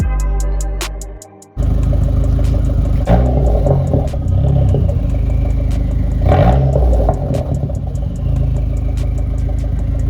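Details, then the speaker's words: SRT4 after new radiator and coolant flush, idling about 5 minutes with heat on: smooth even idle, two clean throttle blips rising and falling freely; runs healthy, sounding better than before, when a leaking radiator gave no back pressure. "all right guys I'm going to be calling the video here car is idling great"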